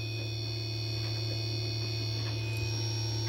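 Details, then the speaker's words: MX60 solar charge controller switched from 24V to 48V operation, array of two 24V panels in series at 56V, battery at 53V: steady hum with a thin high whine, appearing below about 60V array voltage and stopping when the array is off. "uh array voltage is 56 volts battery voltage is 53 that's probably the source of the alarm i don't know why it dropped is 56 like that it was at 60 or 61 volts it seemed to be happy at that voltage but i don't know what to make of that sound"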